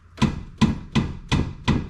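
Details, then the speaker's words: Toyota Celica GT-Four on a jack: five sharp metallic knocks, about two a second, as the 3-inch exhaust pipe, tugged by hand, strikes the rear subframe; the fix is padding between the pipe and the subframe. "so it looks like all we got to do is just put a little padding between this 3-inch exhaust pipe and a sub frame right here to dampen that sound"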